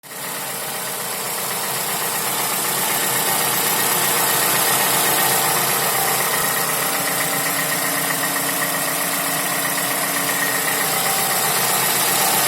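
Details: Toyota Camry 55 with 2AR-FE engine, warm idle: light, regular knock about four per second over the engine hum; dealer found nothing, rod knock ruled out, owner checked timing chain OK; cause unknown.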